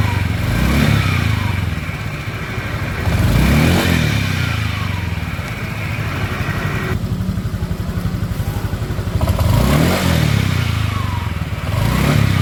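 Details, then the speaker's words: Honda Vario scooter CVT: deep rolling rumble, likened to a storm, rising and falling with each throttle blip, with a clattery edge; rough noise from the CVT belt drive before it is opened. "E vog atau Pak cvt-nya suaranya gemuruh-gemuruh ya kayak badai pokokah wahudah ganjal-ganjal b"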